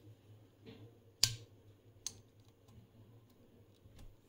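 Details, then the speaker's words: 1970 Oltronix B60-1T transistor power supply: two sharp crackling snaps as the on/off switch is turned off from the high-voltage range, arcing as it dumps into a 1 A diode via 5 ohms to ground; likely to wear the switch. "Every time you go to off from the high voltage, it's just like splat."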